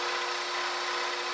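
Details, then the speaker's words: Scroll saw cutting wood: steady, even buzzing rasp with constant hum and no surging or catching after chatter going against the grain; cutting smoothly, suggesting blade stroke speed could be increased. "it's still cutting very smooth. That may tell me, oh, I have to speed things up, speed the stroke of the blade. But here, you don't hear it as much."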